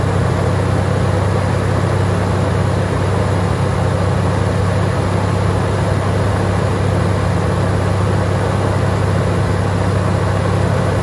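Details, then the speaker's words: Toyota Tacoma at idle after replacing a locked-up fan clutch and tightening the belt, which had squeaked earlier: steady, even low rumble with no belt squeal, ticking or knock. Runs well. "it's running pretty good good to me"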